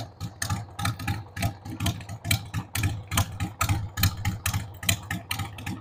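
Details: 1993 Harley-Davidson Sportster 883 Evo V-twin, stored about 15 years, just started on starting fluid with a dead battery: an uneven, lumpy idle of about seventy loping pulses a minute, beat strength varying, stumbling. The owner says the carb needs cleaning.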